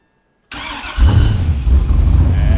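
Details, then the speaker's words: 1999 Porsche 911 swapped to a 5.3-litre all-aluminium LS V8 with 120-pound injectors, first fire-up on a startup tune: short crank, then a deep, steady V8 burble with throttle blips; normal start and rev. "that's better. Yeah, she sounds good now. Oh, baby. Wow. Hell yeah. Nice. Killer."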